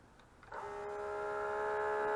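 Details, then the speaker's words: Mitsubishi MS-11V VCR, stored for years, rubber belts replaced: pressing play gives a click, then a steady humming whine as the head drum spins fast with no reel movement; tape transport won't engage for play, fast forward or rewind, cause unknown. "I'll try it again hitting play see the head spins like crazy"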